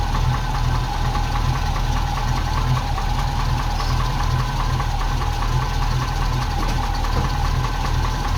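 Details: Ex-NZ Army V8 Land Rover (NZ 341) after replacing failing military ignition with Mallory components: choke off straight away and it keeps running, massive improvement; steady, even low rumble, smooth idle, no misses or surges.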